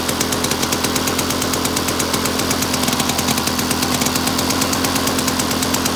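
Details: Victa two-stroke lawn mower rebuilt from two parts mowers, first test run after rebuild with new fuel tap (leaking slightly); crisp, even buzz with fast regular firing at full throttle, no misses or knocks; runs healthy.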